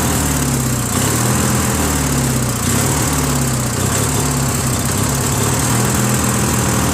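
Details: Briggs & Stratton 16HP opposed twin, a trash find flushed and given a carb, on a Murray garden tractor: a slightly hunting, uneven beat instead of a steady drone. It is better with choke; owner thinks a missing carb Welsh plug is leaning it out.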